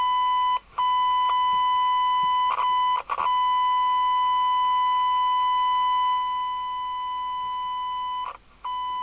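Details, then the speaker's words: Jesan KR200 UK FM CB radio (27/81) during retune, receiving a 1 kHz test tone near 27.79 MHz: harsh, buzzy, strangled audio with brief dropouts; receiver misaligned, suspected detector alignment. "so now we need to do the receive and it sounds so strangled"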